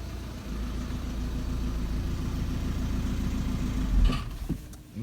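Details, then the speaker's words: 2010 VW Passat B6 2.0 TDI Bluemotion 140 bhp idling, handbrake on, first gear, clutch lifted: deep uneven rumble and vibration, nearly stalls; dual mass flywheel just starting to fail. "so as I said it is making a slight noise may or may not hear it is not as loud as what it was on my previous video with a Mondeo monday was clearly gone it was a trophic failure on that on this one it is just started to go"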